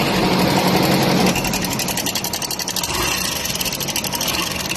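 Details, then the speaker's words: Hero Super Splendor BS6, odometer stated as 160044 km, idling with a fast, busy ticking rattle over the beat; the worn timing chain tensioner let the chain go slack and was replaced with a new one. Timing chain tensioner rattle. "जैसे आप देख सकते हैं ये gents इतना है जो चीन को टाइमिंग चेन को टाइट करके रखता है जैसे इसके कारण ये इस बाइक में इंजन साउंड बनाने लग गया था"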